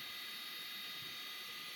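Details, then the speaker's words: Old Quadro FX 580 graphics card in a PC at power-on: its fan gives a steady, high-pitched whirring hiss with a gritty edge, its bearings gone. "um yeah those bearings are gone maybe it'll at least be good enough to post"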